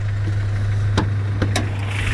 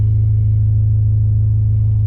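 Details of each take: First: Honda Prelude with muffler delete and DC headers: steady, even low hum at idle with no knocking, misses or hunting; this engine is idling smoothly and sounds healthy. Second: Honda Prelude with a muffler delete and freshly changed oil. A deep, booming, unmuffled drone at idle with heavy low rumble; the exhaust is too loud and needs a new muffler.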